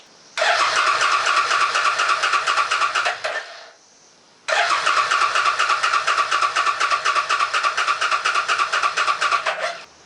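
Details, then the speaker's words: A Suzuki S50 Boulevard 800 V-twin, believed to be a 2006, that sat for years on old fuel cranks in two roughly three-second bursts, a steady starter chug that never catches. It is being cranked with the fuel shut off after first running. Owner suspects it is flooded and no fuel is reaching the front cylinder. "it's weird that it started up and ran right away, but now it won't even hit."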